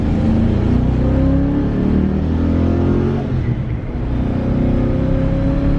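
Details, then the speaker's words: 1993 Ford Mustang Cobra 5.0L V8 road test after fixing the cylinder misfire that caused 2000-3000 rpm hesitation: pulls cleanly with smooth rising pitch through first and second gear, no stumble or miss; running on all eight. "seems to be running quite well spun through first all the way through second only reason i didn't spin third is i had to let up"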